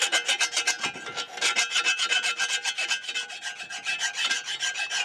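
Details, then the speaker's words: Hand file drawn flat over the cleaned cast-iron mating surface of a worm-drive anchor winch housing after gasket and burr removal: steady, even rasping, about four strokes a second, with no catching, meaning a smooth stroke on a clean surface. "that's the sound you should hear [Music] essentially nothing coming off"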